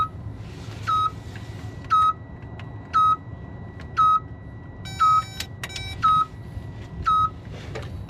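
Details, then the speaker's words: Unknown dash warning alarm on a no-crank, no-start Freightliner Cascadia diesel truck: a steady high beep about once a second over a quiet cab, with no cranking. "all right so I do not know what that alarm is but let's see"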